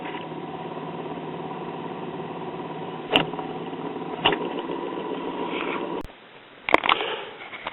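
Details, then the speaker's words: 1950s Waters-Conley (Phonola/Silvertone) idler-drive record player: a steady droning rumble with faint rhythmic thumps under the turntable. The idler wheel has grooved from sitting between speeds and needs a rubber rebuild. "it's this wheel that's causing the ball to the trouble when you put this one in between speeds it pulls the big idler wheel back but it doesn't pull this one back so on a player like this if you leave it sitting up too long it will cause a groove to form in the wheel here"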